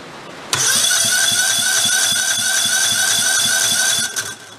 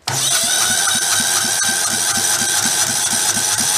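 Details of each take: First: Old Kohler Command engine that failed, cranking during teardown: starter whine with quick light compression pulses about four a second, spinning too freely; compression way too low, heavy carbon suspected on valves. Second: Kohler Command engine from failed engines: even, strong cranking beats, about four a second, over a hissy background; healthy compression, close to firing.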